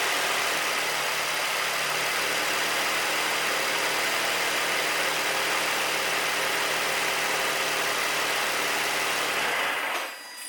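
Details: 2008 Nissan 350Z VQ35HR V6 after spark plug replacement, just started: steady, even hum with smooth consistent note and no misses or knocks; runs cleanly.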